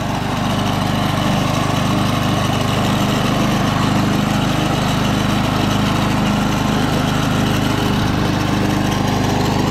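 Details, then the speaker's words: Early-1980s Snapper Series Six self-propelled mower, 6-speed, in gear three: small single-cylinder chugging at a steady, even rate with no misses or knocks; purring like a kitten, healthy. "she's purring like a kitten"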